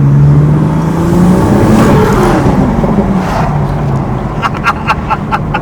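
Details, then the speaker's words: BMW 440i with B58 engine, Pure 800 upgraded turbo and stage 3 modifications, on a test drive under acceleration: pulls cleanly through the revs over road and tyre noise with no vibration or rough patches; healthy. "so it's doing lap around make sure there's no vibration make sure everything's working smoothly so far very very happy with the result it's incredible beautiful car it's crazy"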